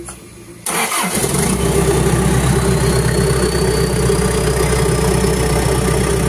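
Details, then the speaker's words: Engine after stalling and blue/white exhaust smoke complaint, fuel pump coil checked and pump heard priming: brief crank, catches at once, settles into steady idle with stable RPM and no blue or white smoke; normal start. "so for the start so no blue smoke or rice smoke on the exhaust Spice and the engine is a RPM is stable"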